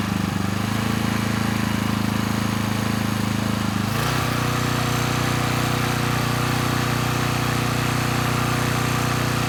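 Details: Coleman Powermate Pulse 1850 generator (PM0401850, 1996 engine 93412-0136-01) after carburetor repair, unloaded, speed being set toward 61.5–62 Hz; steady drone with a slight early pitch shift then smooth constant running, a touch slow, normal running; possible needle fuel drip.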